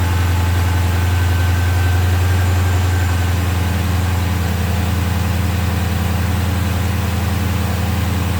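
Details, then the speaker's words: 2016 Dodge Charger Scat Pack V8 after a JLT cold air intake install, engine not fully cold: deep, steady burble settling down from raised RPM, even firing, faint intake hiss; no check engine or warning lights; normal idle. "Obviously, it's in a higher RPM, but right down, everything sounds good."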